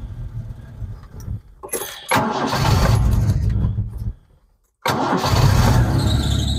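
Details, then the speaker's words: Vauxhall Chevette barn find with suspected head gasket problem and creamy oil, started for warm-up before engine flush: cranks, catches, idle with thin high squeal; drive belt loose after standing, needs adjusting. "as you can hear there still got a bit of a squeal on that belt still need to adjust that a little bit but has been standing"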